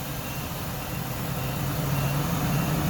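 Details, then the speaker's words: Workhorse chassis 8.1 Vortec, radiator blocked off, fan clutch test warming from cold at around 121–137°F: a steady low engine roar slowly swells as a deep fan hum builds and climbs, then eases off, the clutch starting to lock up. "hear it blocking up already i hear it speeding up all right now slowing back down again it's kind of interesting"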